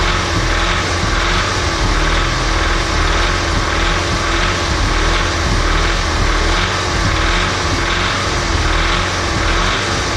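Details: Audi S3 2.0 TFSI CDLA: smooth and quiet at idle, but revving up and down gives a faint rhythmic cam- or diesel-like clatter over the drone; car drives perfectly; source not pinned down, engine knock.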